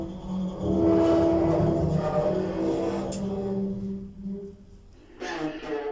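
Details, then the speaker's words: Modernised lift with DMG fixtures, Metrocentre coach park, going down. Loud steady alarm-like squeal over the car's hum. Condition has dramatically worsened and it is unlikely to be fixed before replacement; cause not stated. "Lift going up. That is so loud. It sounds like an alarm almost."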